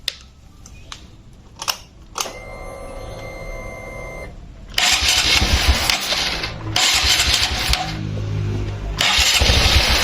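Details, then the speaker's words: Motorcycle single after engine teardown, combustion chamber cleaning and part replacement, first start once oil reached the camshaft: a few clicks, catches, blips, then settles to an even idle with no knocks. Sound may differ slightly during break-in. Normal idle. "Dan perlu diketahui untuk suaranya pasti juga akan sedikit berbeda. Itu pun untuk awal-awal ya karena perlu inion jangan sampai kalian langsung geber."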